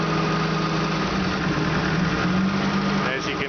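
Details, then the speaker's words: Opel GT with fuel-injected 2.4 L CIH engine, warm idle, contact-cleaner spray test. Short spray hisses near the intake manifold gasket make the idle sag and nearly stall, confirming a manifold gasket vacuum leak to be fixed. "see that just about killed the engine and I spray over here so I have a I have a manifold gasket leak that I still have to deal with which I will do tomorrow"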